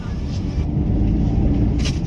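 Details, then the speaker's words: Maruti Alto 800 after replacing the noisy clutch bearing in the gearbox, clutch worked: smooth steady low engine rumble, no squeal or chatter, gears engage well; normal quiet clutch engagement. "જે પહેલા clutch ઉપર પગ રાખતા અવાજ આવતો હતો, હવે એકદમ સાયલેન્ટ થઈ ગયું। ગિયર બી મસ્ત પડે છે।"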